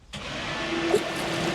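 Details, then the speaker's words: Narrowboat with newly installed, rewired bow thruster, first test after connecting cabling: steady electric motor hum comes up quickly and holds even with a faint whirring tone; thruster working properly. "And now I've got a successful working bow throster."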